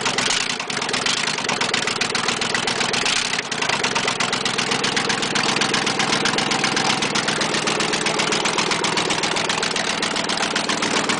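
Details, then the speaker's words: 1996 Chevy 2500 Silverado running very badly: rough idle with a sharp, hard rod knock repeating in step with engine speed; needs an engine. "Alright, this is my Chevy 2500 and it needs an engine. It does run, but very badly."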